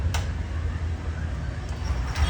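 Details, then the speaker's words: Honda Shine BS6 single-cylinder motorcycle that would not start despite having current, now running after the fuel pump was wired through a socket to the brake light switch feed: steady thumping idle, even beat, no stumbles; normal idle. "ನೋಡಿ, ಗಾಡಿ start ಆಗೋಯ್ತು."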